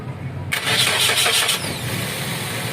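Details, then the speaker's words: Suzuki R3 automatic after repairing the AC compressor and refitting the fan belt: starter cranks, engine catches and settles to a quiet even idle, no squeal or roughness; healthy. "Oke , itu baru suara R3 yang sebenarnya."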